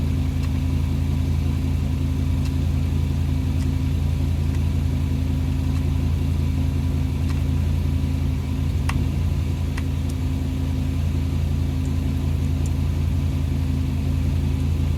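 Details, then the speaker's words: International C Series Travelette, first time turning over after cleaning the crusty distributor points and contacts: slow lopsided cranking about three beats a second with a galloping rhythm; cause not yet clear. "that's the first time I've heard this thing turn over got a little bit of gallop in her hopefully we can remedy that"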